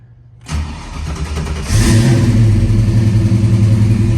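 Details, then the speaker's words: 1991 Mustang GT with a 1994 block rebuilt with new bearings and rings, GT40P heads and intake, testing the factory A9P ECU. Cranks briefly, fires first try, blips, settles to a strong even V8 rumble; starts better than before. "Good. Good. Better than last time."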